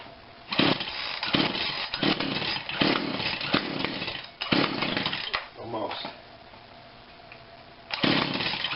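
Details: Husqvarna 142 40cc chainsaw, unrun for a long time, no primer bulb, fuel spritzed in, on heavy choke; short ragged bursts of buzz dying and catching, never settling: rough running on choke after long storage.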